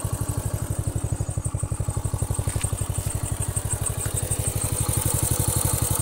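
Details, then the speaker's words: Honda Astrea Grand after repair of leaking compression, which had caused rough noise when hot and weak power, test ridden until fully hot: even, steady low thumping with no misses; stable normal idle. "suaranya masih stabil ya tak coba dulu cek ini suaranya masih stabil kalau panas ndak kasar seperti sebelumnya"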